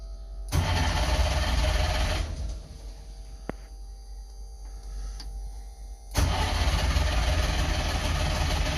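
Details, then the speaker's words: DKW two-stroke car, unstarted for a month or two, in neutral, brake on, choke on, fuel pump running; two long bursts of steady starter cranking, about four turns a second, not one firing pop: cranks but won't start. "Come on, baby. It's been here a while. Come on. Not even a pop."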